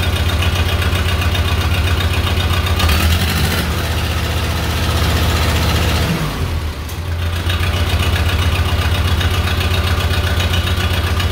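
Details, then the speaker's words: Case 311B tractor after carburetor clean and rebuild, in neutral, full choke and full throttle start: settles into steady low, even thump about four beats a second with a brief dip; runs normally. "sounds pretty good to me"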